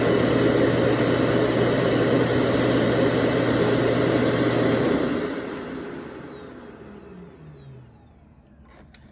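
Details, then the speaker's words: Yedi robot mop docked in its Omni station, bought at Goodwill, with an AC in the background: an even buzzing hum from the vibrating mop pad for about five seconds that then winds down, while water is released into the sump. Normal wash cycle. "So what you heard there is it vibrating and put it down. It's putting down water."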